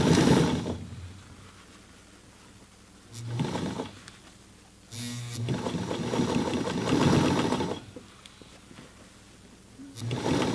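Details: Singer 237-MA sewing machine, cleaned, oiled and tension adjusted, hemming jeans over a serged side seam: bursts of quick, even stitching between pauses, smooth needle rhythm without knocks or catches; sewing heavy fabric cleanly.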